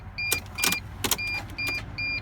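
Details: Mercedes Sprinter no-start: repeated sharp clicks on each key turn with a steady warning chime, and the engine never cranks. Bridging two connectors underneath later spun the engine. Starter circuit suspected, not confirmed.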